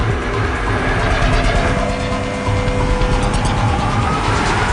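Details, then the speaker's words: Model propeller in a marine cavitation water tunnel at full water speed: a dense crackling rumble, described as noisy, from propeller cavitation that would be felt as vibration in the ship. "we up to the full speed now at full speed now we have full speed position it sounds noisy i'm a little bit concerned so maybe we should put on the stroke lines we hear the cavitation and now we see it"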